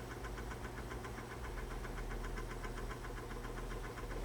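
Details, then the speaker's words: RCA Victor C-3E AM clock radio, clock motor after disassembly: steady low hum with a fast, even gritty rattle at startup; worn synchronous clock motor noise remains. "she got a little wear in it that's the best i can do though after all this work that's the best i can do"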